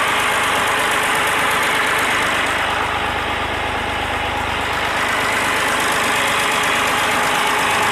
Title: BM 320 Buster after valve adjustment..